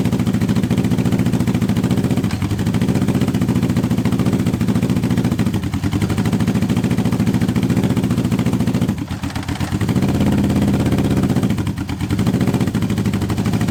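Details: Honda CB750 K-series motorcycle at its first start in years, on unleaded petrol with a bit of choke after earlier fuel blockage; heavy lopsided idle with off-beat stumbles, firing on only two cylinders on one side. Cylinders 1 and 4 work; coil doubted.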